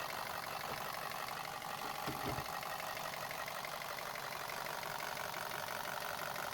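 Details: Neglected VW Passat that doesn't run well: quiet idle with faint uneven light knock under hissy background and one louder thump; sounds like pronounced rod bearing knock, but cracked flywheel or timing chain tensioner also suspected; unconfirmed.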